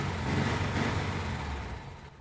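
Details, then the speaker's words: 1961 Volkswagen 23-window Microbus air-cooled engine, 6-volt system, just after a first-try cold start: nice idle, then revs with a busy, clattery chain-like rasp that smooths as it drops back; running fine. "you can hear that nice idle and then you can hear that chain sound as it gets higher in the rpms"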